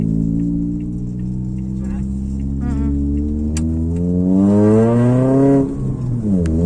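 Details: After welding the exhaust leak with an Ingco 220A welder: engine revs up and settles with a clean, even tone, no puffing or ticking; exhaust now sealed.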